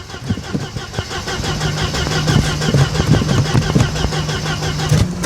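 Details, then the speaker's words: 1991 Mercedes-Benz 190E 2.0 petrol automatic, carbureted, a neglected barn find on a new battery: starter churns with ragged firing that catches and dies, never idling. Owner is pretty sure it is out of petrol. "It's I'm pretty sure we're out of petrol."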